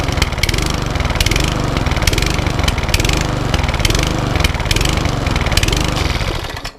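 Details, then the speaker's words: Cheap Sovereign lawn mower running after priming: engine hunting and surging, pitch swelling and sagging about once a second; blamed on bad fuel, needs carburettor clean. "that's all it's doing to got a hunt to it so we're going to do a carb Redick clean on it"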